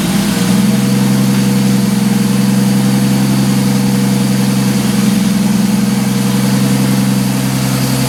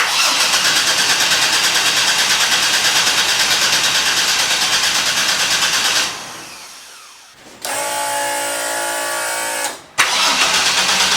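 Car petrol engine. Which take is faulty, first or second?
second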